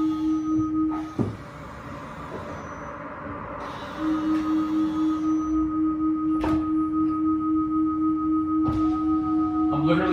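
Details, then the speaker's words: Tesla Model 3 Performance unused for two weeks in a garage, creeping in reverse: steady mid-pitched shriek pulsing about four times a second, stopping and returning with the brakes; brake squeal, cause suspected, not confirmed. "one thing I've sort of noticed just from pulling out there the brakes have flicked I don't know they haven't been left outside you know so they're it's not like a rusted or anything but you know you're getting that kind of like that shrieking sound"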